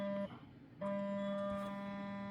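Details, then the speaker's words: A $40 portable air compressor rated to 40 PSI. A steady buzzing motor hum cuts out briefly, returns and keeps running without cycling off, so there is no automatic shutoff. The compressor runs continuously. "it's always running I guess it's not like the uh little container when we're well let's try it with the airbrush"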